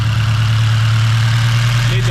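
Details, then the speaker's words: 8th-gen build with a turbo tune, 9:1 compression and a built head, first start: steady, even smooth idle with no ticking or stumbling, AFRs around 13s; a check engine light is on, owner suspects a valve adjustment is needed. Normal idle. "all right up y'all sounds normal sounds good sounds right afrs are chilling like 13s"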